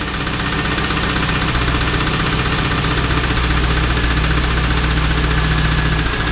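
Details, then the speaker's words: 2001 Pontiac Trans Am LS1 V8 idling right after Marvel Mystery Oil and Seafoam were added: a steady light knock ticking over the exhaust rumble, maybe slightly quieter but still there. Cause unconfirmed. "It may be a little quieter, I don't know. Still there."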